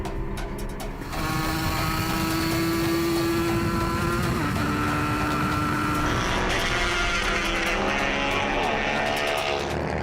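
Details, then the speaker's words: Banshee two-stroke-powered Yamaha YZF R3 race bike on track at full throttle, jetting unresolved: screaming note stutters and sputters, wavering instead of pulling cleanly; engine breaking up, cause not confirmed. "Come on. Come on. Come on, man. It's really not running well."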